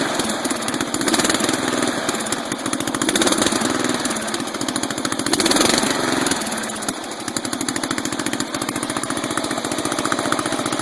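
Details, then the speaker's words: 12.5 hp flathead single-cylinder engine on a vehicle unused for a month: runs rough, backfires through the carburetor and wants to die when backed off high throttle; suspected carburetor fault, rust found in the float bowl. "Backfiring through the carb. Carburetor may be a little screwy on the biohazard, so we're going to pull her off and clean it."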